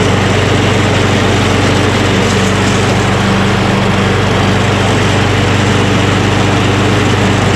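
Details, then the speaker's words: Recently fixed lawn mower with an auto choke, fresh gas and oil like new. It gives a steady, even drone with no misses, surges or knocks and runs well. "beautiful i remember it ran really well"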